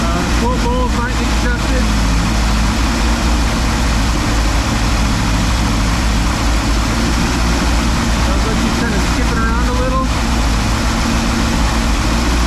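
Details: 1957 car (V8) just converted from FiTech injection to a rebuilt Holley carburetor, first run in about a month, timing not yet set: holds a fast steady idle, never drops to a slow lope; high idle, cause unconfirmed.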